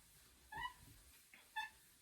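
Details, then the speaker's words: New Ashford Country Spinner 2 spinning wheel, well oiled: two short high chirps about a second apart over quiet treadling, a dry squeak from the flyer or bobbin. Cause unknown, owner hopes it eases with use. "it's definitely the squeaking is coming from my flyer or bobon from one of those so I'm not sure what it is but it doesn't seem to be causing too many problems at the moment"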